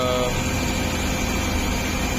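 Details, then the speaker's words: CNG-fitted car that had been shutting off when switched to CNG. After the fitting work it is started and idling on petrol with a steady, even hum and no stumble: normal running on petrol. "सब fitting हो गया इसका अभी हम गाड़ी चालू करके दिखा रहे हैं आपको अभी गाड़ी इसको स्टार्ट करते हैं वैसे चालू कर एक पेट्रोल"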